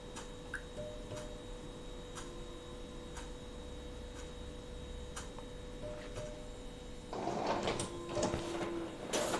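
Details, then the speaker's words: Epson L15160 printer printing one sheet, owner checking after timing belt replacement for crooked, ghosting table lines: faint regular ticking then a short burst of carriage and paper-feed motor noise, no grinding; slow initial loading, sound normal. "Nah dari sini tu enggak ada keanehan teman-teman Tadi suaranya enggak berisi karena cuma satu lembar ya"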